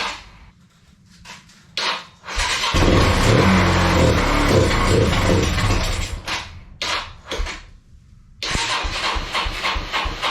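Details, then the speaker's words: Kawasaki Bayou 220 ATV, sat eight years, after re-cleaning carburetor: single cylinder catches after a few tries, then runs and revs freely with clean throttle response, somewhat smoky, seeming to clear itself; fuel lines leak slightly, air filter off. Normal running. "oh well all right sounds like it runs just fine um it's almost like it was clearing itself up um but Smokey in here um yeah should run fine now"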